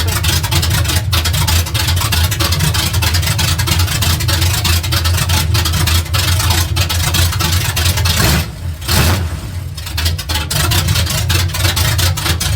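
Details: Truck with new exhaust, no drag-race cam yet sounding like one; deep loud slightly loping V8 idle burble with brief blip midway; normal idle, loud free-flowing exhaust, engine healthy; separate fuel leak from a hose noted.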